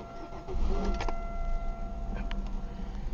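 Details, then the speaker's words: 2000 Chevy Malibu 3.1 V6 cold start after sitting about a week: brief crank, catches quickly, settles to steady idle; starts right up; check engine light on, owner says upper intake manifold leak causes misfire; no smoke; normal cold start. "sweet starts right up no problems"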